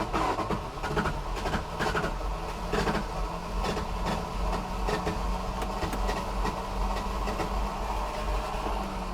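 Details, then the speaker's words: Second-gen Dodge Charger ("General Lee") just bought in Scotland, test drive: long uneven starter cranking with sporadic firing, engine reluctant to catch; driver says no fuel, then no throttle once running, and suspects a disconnected throttle cable. "Just give it a moment. It will start. I'm sure of it. It's running."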